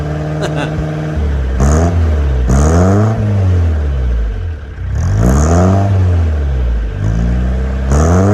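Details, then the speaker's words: Peugeot J9 van, 40 years old, just after a cold start with a new homemade stainless exhaust and silencer: smooth rising and falling blips with a mild rasp, not too noisy, no rattles or blowing; normal healthy exhaust note. "It's not too noisy. It's got a nice little rasp to it. It's quite a nice sound."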